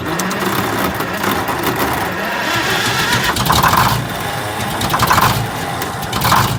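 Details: GM 4104 bus, Detroit Diesel 6-71 running: harsh uneven metallic clatter over engine note; generator racket led to removal, drive gear found missing several broken teeth.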